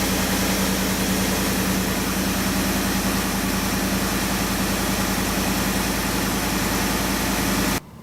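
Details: 2015-or-later Ford F-150 at cold start: smooth, steady idle with no rattle or clack over the engine note. The active grille shutters, whose closing can mimic timing-chain slap, are working quietly and normally.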